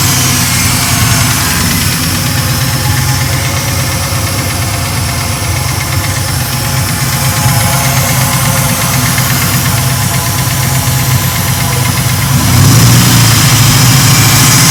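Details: Ford Mark VIII engine swap, newly started V8 at idle: light, fairly regular tick about three a second, suspected lifter tick, hoped to fade with run time.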